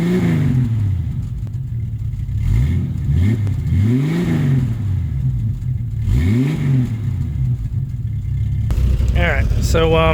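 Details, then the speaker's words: 1989 Jeep Cherokee XJ, 4.6L I6 stroker, with newly installed Flowmaster 50 Series Delta Flow chambered muffler and 2.5-inch exhaust clamps: deep, even burble at idle with clean blips settling smoothly; healthy exhaust note, mild over stock. "It sounds basically like stock from the inside, maybe like the very tiniest hint of anger. And then when you get outside, you can actually hear something."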